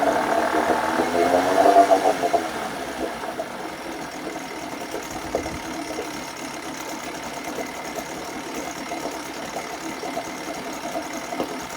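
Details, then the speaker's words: 1980 Chrysler Sea King 15 hp two-stroke outboard, cold, on engine stand after replacing ignition coil to fix part-throttle misfire: quick, even popping with no missed beats, clean on both cylinders, responsive with no hesitation; normal running. "I think I fixed it. It's really responsive. There's no hesitation."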